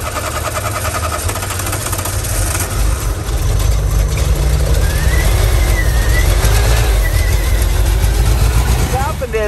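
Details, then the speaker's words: VW camper van revived after 10+ years parked, running rich and dumping fuel: rough idle with uneven loose rattle about four times a second; detached exhaust part moving inside its mount causing the rattle. "this is no longer attached to that and this sound this rattle [Music] it's literally moving inside that plant and that's the rattle we're hearing"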